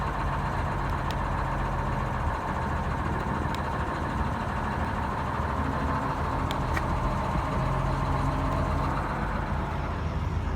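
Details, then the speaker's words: GM 4104 bus diesel, revived after sitting about nine years with four stuck injectors and the starter fixed, about sixty miles into the drive home, smoke cleared: steady, even diesel drone, low rumble, no knocks or misfires; running normally. "we're about sixty miles and sixty miles into the trip here everything seems to be doing just great"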